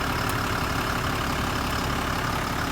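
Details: Motorhome engine idling smooth and even under a constant hiss, no stumbling or knocking, after a no-start fixed by charging the battery from 10 amps to 12.1 volts, then a 50-amp boost to about 13 volts; it's running normally.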